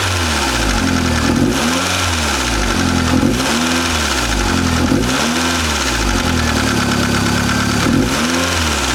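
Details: Mazda Miata with brand-new built engine (Wiseco FM pistons, Belfab rods) blipping up and down with a hard, diesel-like clatter over each rev; engine knocking, cause unknown.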